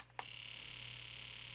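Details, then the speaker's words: Fuel injector pulsed on an injector tester: rapid, perfectly even buzzing clicks, roughly 28 a second, for about a second and a half. The injector opens and closes normally, as it is supposed to. "You can hear that fuel injector. That's what it's supposed to do. And that's that's the purpose of this little tester."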